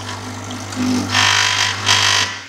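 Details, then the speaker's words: DeLonghi EC820B espresso machine pump running dry mid-use: hard mains-rate buzz with loud rattling hiss bursts as it sucks air from an empty water tank; stop and refill. "If you're in the middle of using it and you hear this awful sound, then it's also another sign that it's empty. That noise."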